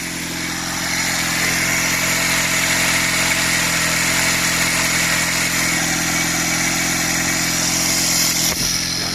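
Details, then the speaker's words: 46-year-old Honda CD175 after restoration, first start on choke: steady, even idle with smooth low exhaust beat, no knocks, misses or rattles, very quiet, no smoke; idling cleanly. "But whoa, it's so quiet, I can't hardly hear the thing."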